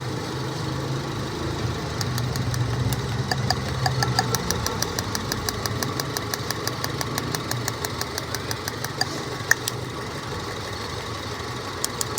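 Uneven idle with a sharp tick roughly twice a second over a low rumble; sounds like a misfire making the engine shake. Cause suspected, not confirmed.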